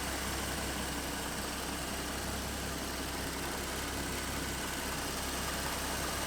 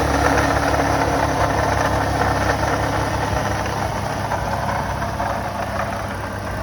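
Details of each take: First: 2014 Ford Mustang 3.7L V6 idling after new-design water pump replaced the failed one that made knocking/grinding noise; coolant refilled, slightly overfilled: smooth even idle, steady low rumble, no ticking, whining or knocking; noise fixed. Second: 2014 Ford Mustang 3.7 V6 (S197), about 170,000 miles, idling with an uneven knock about three per second and a rough grind from a pulley at the engine front; failing original water pump, replaced with the new-design pump.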